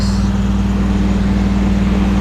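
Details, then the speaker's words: Carrier Desertmaster air conditioner, made in Saudi Arabia, loudest unit in the house: loud steady low hum with strong buzzing drone, vibrating a lot, though reportedly louder on a previous run; cause unclear. "not sure if this sound is women it's kind of vibrating a lot although I think it was louder last time it was running"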